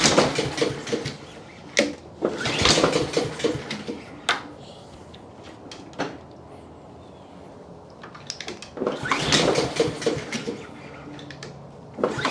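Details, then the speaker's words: Trash-picked Honda HRX217 (HRX217TDA) self-propelled mower, first start attempt initially without choke: several recoil pulls with brief sputters that don't catch into a steady run; hard starting, carburetor issue suspected, not confirmed. "the next step is to clean it up and see why it was so hard to start"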